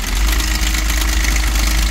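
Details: Diesel at idle with the drive belt removed, noise persisting: loud continuous metallic clatter; timing chain, tensioner or tensioner guide suspected, to be checked under the timing cover.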